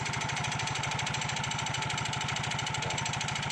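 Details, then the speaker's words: Yamaha Mio GT scooter running: a quick, rhythmic knocking clatter at low speed that persists even with the main CVT gearbox removed; the roller housing contributes but the worst knock comes from this area. The clip is labeled as worn variator rollers and housing. "bunyinya itu bunyi ngelotok pada saat kita rendahnya agak kurang temen-temen"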